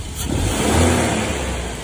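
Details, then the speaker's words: 1987 Mercedes 190E non-catalyst with KE-Jetronic, after owner repairs that cured heavy black fuel smoke: smooth even rev swelling and settling back without stumble or misfire, no black smoke, running quietly. "as you see there's no black smoke coming out and it's working really quietly also even if i give a gas there's no"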